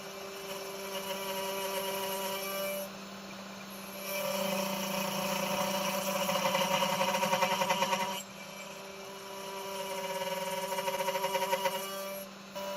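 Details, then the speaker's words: Genmitsu 3030 PROVer Max desktop CNC, 300 W spindle cutting aluminum, largest step-down pass: spindle whine drops and roughens, louder chattering bursts as chips get larger; spindle reaching its power limit. "now cutting the last one the chip size is larger but the sound is also louder I can hear that the spindle is reaching its limit and the cut is not that"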